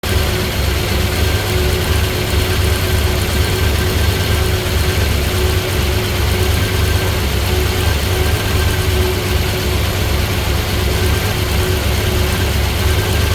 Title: Misfiring